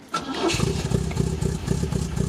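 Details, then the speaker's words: Rebuilt 1974 MGB engine breaking in, restarted on the ground after first oil change; short crank, quick catch, even steady idle with no knocks or misses, no leaks, about 75 psi oil pressure. "i'm gonna go ahead and fire it up once again uh just let it run for a sec and i'm just gonna check the oil once it's ran through the engine"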